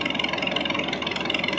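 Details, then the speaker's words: 1930 McCormick Deering 22-36 tractor after carburetor cleaning, partial overhaul, fuel system clean-out and cleaned, adjusted magneto points: steady even slow idle exhaust beat, no knocks or misses; normal running. "and just cleaned everything up real good. And now it runs really well."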